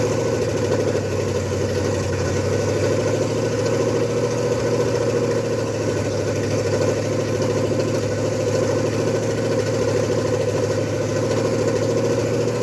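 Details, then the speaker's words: Ford F100 with 302 and Comp 268H cam during cam break-in: fast even ticking knock in step with engine speed over a rough idle; valve train knock, found to be valves adjusted wrong (lifter first suspected). "At this point in time, what's happened with the truck, I'm sure you can hear it knocking. We had a lot of concerns It turned out we had just adjusted the valves wrong."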